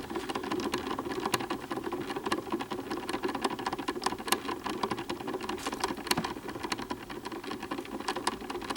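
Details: Early-style front-mount Columbia Disc Graphophone model AH, about 128-129 years old: fast irregular clicking and light thumps over a steady whir; old powdery springs slipping and banging, need removing and cleaning.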